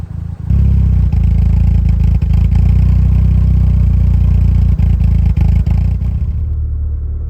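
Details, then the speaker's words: Scirocco 16V, exhaust at operating temperature: deep engine drone under load with metallic clatter breaking through around 4000-5000 rpm plus chirping, from fuel tank and rear exhaust area; loose exhaust heat shield rattle. "This is the main issue you're hearing. You can now hearing the chirping too."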